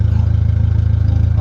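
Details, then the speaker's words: Ford Mondeo MK3 after the owner replaced its rear wheel bearing, ABS light still on: a steady idle with a fast, lumpy pulsing throb that doesn't smooth out. The engine sounds rough, cause unknown and not investigated. "honestly that engine doesn't sound good either but I'm going to ignore that"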